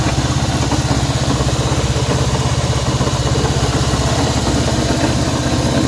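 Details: Honda CB190R motorcycle at idle: steady idle with a regular low tapping pulse about three times a second over the engine note; abnormal engine noise, cause unclear.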